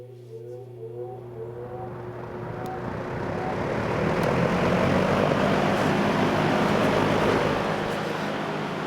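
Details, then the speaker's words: 1971 Lakewood/Country Aire P-23 3-speed box fan with McMillan motor: motor hum rises smoothly as blades spin up to an even whoosh, no rubbing or rattle; normal, healthy startup sound. "has the best startup sound ever and that's why when I was little I used to play with these box fans cuz I used to love hearing it start up"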